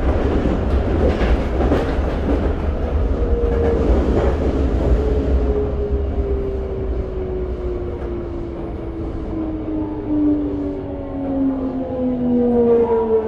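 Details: Toei 5300 series set 5315 with Mitsubishi GTO-VVVF, running as a rapid limited express on the Keikyu line (Misakiguchi to Kanazawa-bunko), recorded onboard. A motor tone glides steadily down in pitch over wheel clatter: abnormal-sounding traction inverter.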